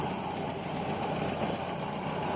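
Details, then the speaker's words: 1967 Land Rover Series 2a 109 after a cylinder head rebuild, idling on first run with milky oil being flushed; a fast, light ticking over a steady idle in time with the engine, one valve not within clearance tolerance. "there's one valve I can hear that's not quite within tolerance"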